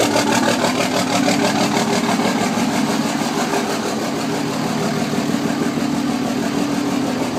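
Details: 2006 Cummins diesel at start and idle: uneven, lumpy clatter, about three pulses a second, suggesting a cylinder misfiring; owner suspects one or more bad injectors.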